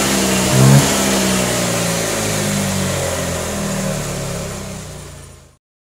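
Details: Honda Vario 125/150 injection scooter that stumbled when throttled, after cleaning the throttle body and TPS sensor: engine picks up cleanly on a quick blip and settles back smoothly without stumbling or popping.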